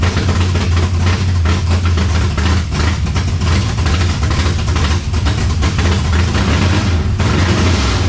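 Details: 1970 Chevelle V8 with Holley Sniper 2 fuel injection, just started after timing adjustment: loud, low idle with uneven, lumpy beat rising and settling; rough idle, owner suspects timing still off, may also check plugs and IAC settings.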